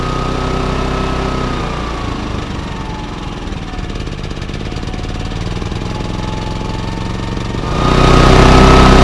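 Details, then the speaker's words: Baliy 3700 W remote-start portable generator, unused over a year, after carb cleaning and a new spark plug; the engine surges and hunts in eco mode and still runs a little rough with eco off. "so you guys can hear it it's surging on eco mode and even with eco off it's still running a little rough definitely running which is better than what it was doing"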